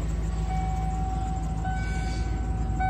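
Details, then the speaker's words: 1992 Ford 351W carbureted truck after 10–15 minutes warming up on a cold morning: thin, steady high-pitched chirp over a smooth low idle, idling slightly higher than before; squealing drive belt. "as you can hear the truck aside from the squeaky belt it's running pretty smooth idling a little higher than it was before"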